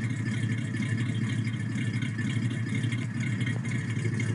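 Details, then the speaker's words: Ford 302 small-block V8 started after sitting, idling with a rhythmic, diesel-like tap-tap chatter from a piston slapping a damaged, scored cylinder wall; the piston probably got hot, and teardown found no other wear. "you can really hear the chatter the tap tap tap tap tap almost sounds like a diesel motor"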